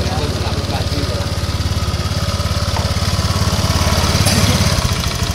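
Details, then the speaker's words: Honda Vario 150 scooter that wouldn't crank, with the starter circuit jumpered at the switch, fault traced to the switch rather than the button, cables or starter relay: catches at once and settles into an even, steady putter; starts and idles normally. "Kita hidupkan kunci kontak. Oke, motor hidup. Kita tes sekali lagi."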